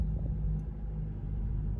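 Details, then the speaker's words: 2013 Honda Accord first start after fuel pump replacement, which previously took three to five seconds of cranking: engine catches quickly and settles into a low, steady, smooth idle with no misses or knocks; normal idle. "so I mean with the brand new one it wasn't even pressurizing it started up quicker than it had in the past it is running great"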